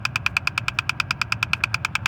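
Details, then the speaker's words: 2010 Mazda 3, in the glove box area: fast, even clicking about nine a second over a low engine hum from a bad HVAC air door actuator; replaced with Dorman 604-811. "here is the infamous clicking noise that's in the glove box it's the air deflector and your ac and heat system"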